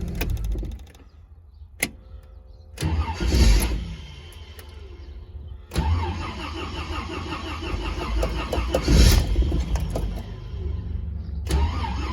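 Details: Warmed-up vehicle, thermostat cycling and not overheating: the starter cranks briefly, stops, then grinds on for several seconds under heavy load before the engine finally fires and runs; extended cranking, hard start.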